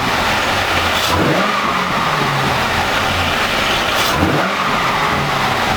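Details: C5 Corvette V8 first start after 4+ months of repairs (harmonic balancer and front subframe replaced), in neutral: steady idle with two quick throttle blips rising and falling cleanly, no knocks or misses; healthy.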